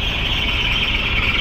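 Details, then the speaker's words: Mitsubishi Montero diesel at idle, 9,300 mileage: continuous high squeal, even with the A/C off, mistaken for the fan belt; the cause is a failing alternator clutch pulley. "Ay yung ah alternator clutch pulley ang may problema nito mga Bossing kaya nag-iingay to akala natin belt yon"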